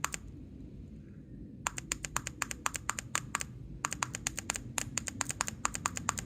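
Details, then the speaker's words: Chinese diesel parking heater showing error E-8 (no fuel/combustion) after a power outage: the seized dosing pump, freed with dry lube and pulsed by tapping its leads, gives sharp dry clicks in quick bursts. Pumping normally again. "taking the leads and just tapping them you don't want to hold it but just taing them you can hear it cycling you can hear it shooting stuff out of my"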